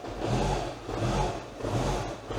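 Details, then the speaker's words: 2012 Mini Cooper 1.6L being diagnosed for a misfire, started after clearing codes: rough surging engine with rattly clatter that won't rev, red oil warning light appears, then smooths out; sounds like a timing chain issue; engine clatter and failure to rev. "What's really weird is everything starts to clatter and make noise, and then the red oil can comes up. Then it starts to smooth out. But it starts to sound like it has like a timing or a chain issue."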